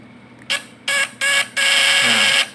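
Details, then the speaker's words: Fish-stunner (setrum ikan) platina point-vibrator type PS, primer 3 / sekunder 4 winding, retested after adjusting the points: sharp high-pitched buzz in short bursts then a longer steady run, clean and even, sounding different from before; points tuned right, normal vibrator buzz. "kan udah beda dari yang tadi kan, dari suaranya. Coba kita setel kuat."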